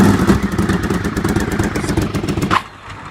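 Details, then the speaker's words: Motorcycle engine (Honda VFR750 V4, on choke) after plug change, coil packs suspected swapped: lumpy, uneven chuffing that never settles; one cylinder dead, unplugging its lead makes no difference; swapped coil packs suspected. "It's not running on the cylinder at all. If I unplug it, there's no difference at all."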